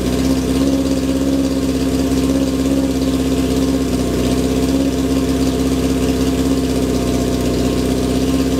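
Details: 1978 Kawasaki KZ650 C four-cylinder motorcycle, first start after sitting at least five years: steady, even warm-up idle with loud, throaty exhaust, no misses or knocks; runs well, owner finds it very noisy.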